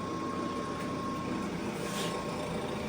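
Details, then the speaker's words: American Woodworking Machinery No.1 jointer, direct-mount motor on rotary phase converter, breaker pops seconds after start: spindle coasts down freely with quiet even whir, no rubbing or grinding; no mechanical friction suspected. "I'm gonna let this go for a minute just to show you how long this thing spins after a test, just to show that I don't think the spindle is picking up any mechanical friction from the machine."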